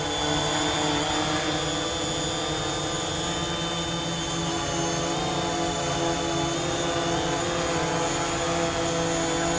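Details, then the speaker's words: DJI Mavic Pro drone on aftermarket Master Airscrew props hovering: steady high buzzing hum with a few constant tones, even and unbroken; normal hover, stable flight at reduced motor rpm. "it's certainly working anyway very stable fly reduced rpm and the motors so you're getting the same stability and flight"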